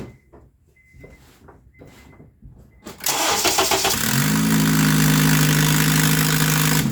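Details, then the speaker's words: Acura/Honda started with upstream O2 sensor removed, port of perhaps 3/4 inch open: a few clicks, starter catches into loud raspy idle with fast sharp ticking puff about four per second; exhaust escaping through sensor port. "Yeah, just crazy. Something so small sounds so loud. I mean, that's the, what was it, 3/4 orifice of an inch, I think."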